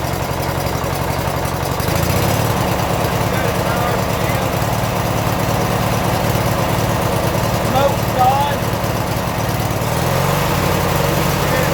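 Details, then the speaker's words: 1996 Briggs & Stratton 17hp I/C opposed-twin flathead mower engine, first running on its own in over ten years, new plugs and air filter, Seafoam added: twin ticks over at a low, fairly steady idle, slight unevenness settling out; good clean idle. "start it back up let's see what happens nice got a good idle"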